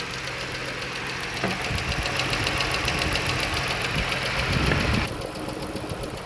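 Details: Hot idling petrol engine with a quick, fairly even ticking on top from a worn, loose rocker arm; the ticking was guessed to come from one side before the valve cover was removed.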